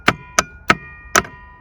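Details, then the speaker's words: 1986 Ford F350: glow plug relay jumped at a terminal gives four sharp, unevenly spaced clicks, then stops working; intermittent, suspected bad glow plug relay. "This is the glow plug switch relay, and we're just gonna jump to one of the terminals, and it should click, and it should heat up the glow plug."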